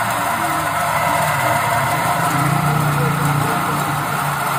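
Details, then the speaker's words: Suzuki R3 automatic idling with noise complaint whenever AC on or off, belt driving compressor: loud rough drone with faint tonal whir, like an airplane; bearing inside the AC compressor seized, tensioner fine, bearing to be replaced. "Oke, matikan. Bantalan di dalam kompresor AC macet."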